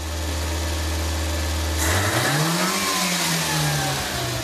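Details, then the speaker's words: Engine sat two years (carburetor gummed), after carburetor cleaning: steady low idle then revs up cleanly and holds high speed smoothly with no coughing; gum obstruction practically eliminated, idle adjustment still to be set. "vê que ele está bem acelerado tá ea partir daí significa o seguinte que toda a obstrução da goma praticamente foi eliminada"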